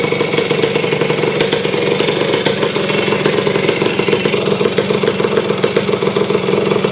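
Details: Honda CR250M Elsinore two-stroke idling after being revived from years of storage, following kickstarter repair, a different spark plug and refilling the carburetor, cold ~30° morning in the shop; steady, crisp, even popping with no misses or clatter.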